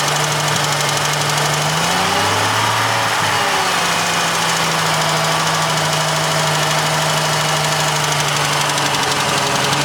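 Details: Jeep Cherokee XJ 4.0, 200,000 miles, head overhauled 40,000 miles ago: fast sharp tick only around 1500–2000 rpm, cold and warm, seemingly from right side; manifold gaskets replaced, exhaust manifold leak-free; cause unknown.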